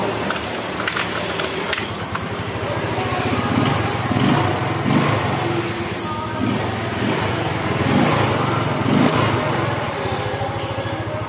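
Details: Yamaha Mio scooter with a stumbling first throttle and hard cold mornings, running after parts were thoroughly sprayed clean: even, steady putter at idle with a regular firing rhythm and light throttle blips; runs cleanly.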